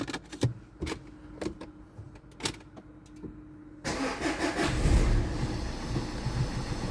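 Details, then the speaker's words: 2011 Renault Scenic 1.5 dCi diesel after replacing the faulty cylinder 1 injector and clearing codes: a few clicks, immediate start, steady even idle clatter with no stumble; misfire fixed. "Starting sweet fast."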